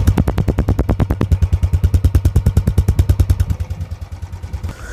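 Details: Royal Enfield Bullet ES 350 (electric start), just started: a steady, even thump of about three beats a second, deep and regular with no knocks or misses. A healthy single idling normally.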